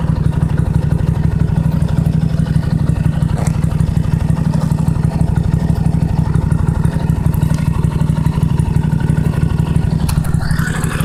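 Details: Toro LX425 lawn tractor, cold start on jumper cables with choke on after battery dead a while: steady even low putter at constant pace, no stumbles or misfires; started well, normal idle.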